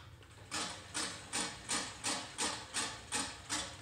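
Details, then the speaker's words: Scotts reel mower adjusted close enough to cut paper: crisp evenly spaced ticks, about three a second, one per reel turn, from one bent or longer reel blade contacting the bed knife. "only noise you're hearing right now keep in mind is that one blade on that reel that is making contact at that bad knife"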